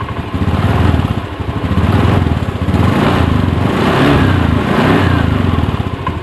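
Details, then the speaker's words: Honda Beat ESP scooter idling during a charging-system check, multimeter on the battery reading 14.2 V, which is normal charging; even putter with a slight rise and fall in level, no odd knocks. "Itu masih normal ya, itu masih 14,2 ya saat langsam tuh, berarti akhirnya ini masih normal ini."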